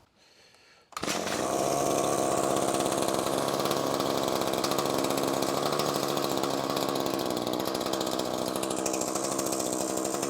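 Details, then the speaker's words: Echo SRM-2620T two-stroke string trimmer after cleaning the clogged spark arrester screen and reinstalling it: fires after a second and holds a crisp, steady buzz, even firing, strong exhaust; running properly, problem fixed. "definitely feel the exhaust now so yeah absolutely fixed our problem so just a simple screen exhaust screen cleaning or a spark arrestor screen as they're also known"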